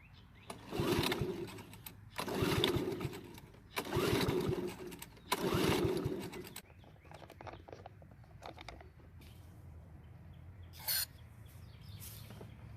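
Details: Honda lawn mower stored over winter, old fuel drained and refilled: four pulls, then the engine catches briefly and dies within seconds; starts then stalls from a carburetor problem.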